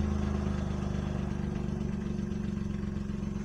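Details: Vauxhall Opel Corsa B with replacement engine, new timing chain and fresh oil, heard from outside: even, steady idle pulse with no knocking or tapping, runs smooth and healthy; owner notes a slight gearbox rattle he ignores.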